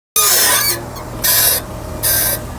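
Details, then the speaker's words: Mercedes/BMW steering turned at standstill: three sharp, high metallic squeals, one per turn; worn lower control arm ball joint that had come loose and taken in water; fixed by replacing the whole arm assembly. "方向异响有很多种啊，但是像这种金属摩擦声，千万不要去怀疑刹车片或者别的东西，就是一个问题，下直臂，就是这根臂，这根臂的球头旷了之后就容易出现这个问题"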